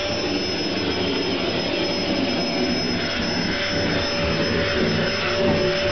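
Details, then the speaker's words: Hoover vacuum cleaner running: steady, very loud rushing roar like a jet engine, with a thin whine on top that holds its pitch; the motor is just loud, with no knock or grind. "I think we've got one of the loudest Hoovers on Earth sounds like a jet engine here we go"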